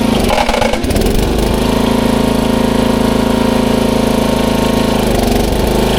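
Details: 1994 Troy-Bilt 34044 33-inch mulching walk-behind mower with Briggs & Stratton engine: a rapid, regular clatter once each turn over the running engine because the twin blades are out of time, likely after a blade change, and hit each other.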